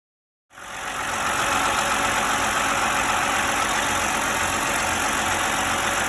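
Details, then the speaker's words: 2011 BMW E93 328i (N51), code 2A7C timing fault: rough, clattery, diesel-like idle with a faint whistle (whistle traced to the PCV valve in the valve cover); rough idle from broken VANOS sprocket bolts. "this e93 328i 2011 with the m51 engine was running rough had a rough idle noisy kind of diesel sounding like idle"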